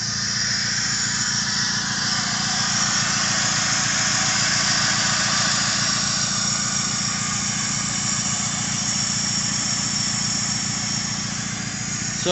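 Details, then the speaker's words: K24 K-series swapped car, freshly completed, full 3-inch straight exhaust with no cat, fuel pressure set around 50: crisp, even idle through loud open exhaust, steady rhythm with no misses, knocks or rattles. "real good um i got full 3-inch exhaust no cad or nothing so it's just straight exhaust"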